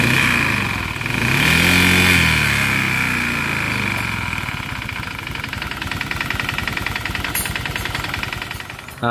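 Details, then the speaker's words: Motorcycle after overheating at idle: regular metallic tapping about three and a half times a second, matching a previous mechanic's piston diagnosis; teardown confirmed the damaged piston. "Nah sampai di sini saya mengamini apa yang dibilang mekanik yang sebelumnya itu karena memang suaranya itu identik sekali dengan suara piston"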